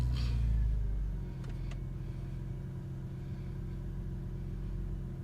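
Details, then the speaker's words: 1999 Porsche 911 Cabriolet, about 60,037 miles, pre-purchase inspection cold start: quick catch then steady even low rumble settling to smooth idle, no knocks or ticks; battery, starter and charging tested fine, sounds healthy. "just want to stay quiet there for a second here just so we can listen for any noises I didn't hear anything abnormal starting was it was somebody healthy"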